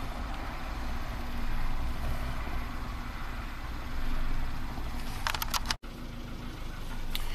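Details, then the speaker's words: 2015 Kia Soul 1.6 GDI, 152,000 miles, barely runs with no intake vacuum and no throttle response; low lumpy idle that sags and surges, stalls as throttle opens; suspected badly clogged catalytic converter, pressure transducer test planned. "And the more you open the throttle, the more it falls on its face and stalls out. That really seems like a badly clogged catalytic converter."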